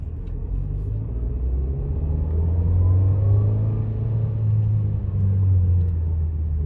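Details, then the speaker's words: 2020 Nissan Versa S manual driving in first gear: low road rumble with faint whine rising with speed; normal first-gear transmission whine, similar to reverse gear noise, nothing failing. "yeah i was telling one person it's kind of like your reverse gear it makes those kinds of noises as well just a little different but it's the same same idea"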